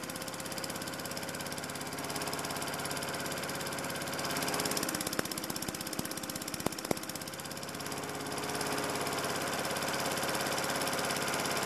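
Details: Lawn mower converted from petrol to LPG/propane, gas line to carburettor fuel inlet, primer bulb sealed; small single puttering at steady, even idle with a few sharp clicks midway; normal running on LPG.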